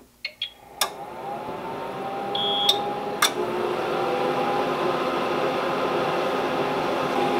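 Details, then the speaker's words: APC UPS XL unit in a DIY 48 V Powerwall build, with three cooling fans including a 120 mm one, switched on: clicks, then short high beeps over a rising fan rush; UPS beeping with loud cooling fans at power-on. "hey I know that sound beeping has got to go right now"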